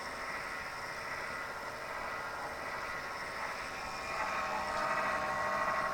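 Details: Zalman computer power supply emits a strange rough, buzzing hiss with a faint pulsing about four times a second.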